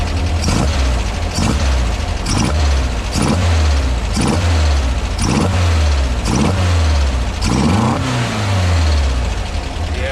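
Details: 1976 Volkswagen Westfalia bus, air-cooled type 4 flat-four with dual Weber 40 IDF carbs after linkage sync and accelerator pump adjustment: blipped about once a second, each rev rising crisply and falling back to steady idle; running healthy.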